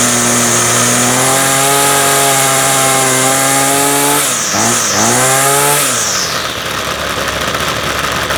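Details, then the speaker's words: Ryobi full-crank two-stroke trimmer, first start of spring after months unused, started on full choke then middle position: catches quickly, clean steady high buzz, winds down smoothly; healthy. "all right so that was uh that was beautiful as well that couldn't really ask for much more than that"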